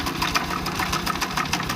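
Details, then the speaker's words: Honda Revo Absolute single, engine running with cover open: fast sharp uneven metallic ticks over light idle as the visibly slack cam chain flaps; loose cam chain rattle. "Terlihat banget ketengnya itu lentur banget ya, tuh. Loh, tuh lihat si keteng itu kendor banget ya, tuh."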